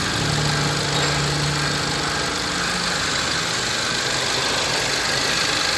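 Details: 2013 VW Fusca (Beetle) TSI turbo petrol after timing chain kit replacement for engine noise: smooth steady idle, even hum, no rattle or knock; healthy.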